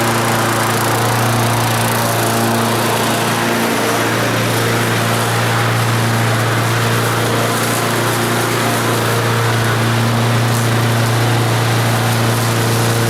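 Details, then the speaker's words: Previously non-running lawn mower engine, road test while mowing. A strong steady drone holds its pitch under cutting load, with no surging, misses or knocking; a healthy engine pulling well. "she starts real good runs nice and smooth so that's a good motor"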